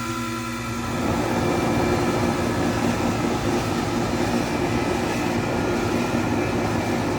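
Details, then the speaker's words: 2003 Carrier 38CKC 3-ton AC condenser, Bristol reciprocating compressor, 18-inch three-blade galvanized Revcor fan, starting up: low hum swells into steady loud fan rush and constant compressor drone, no knocks or rattles; normal running. "it has a really loud fan because the motor spins at a very high speed and it also fires up pretty quickly too as you're about to see in a few moments"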